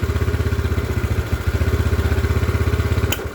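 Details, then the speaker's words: Yamaha Mio after fixing sudden stalling in the fuel line/carburetor, before refitting the size 38 pilot jet: steady even single-cylinder putt at idle, about four beats a second, firing cleanly; normal running. "Setelah nyala dengan ee bagus ini nanti kita tutup, kita matikan ya nanti ini. Nah, setelah nyala ee sudah normal, kita kembalikan pilot jet-nya menggunakan ukuran 38 agar motor ini masih tetap utuh keiritannya."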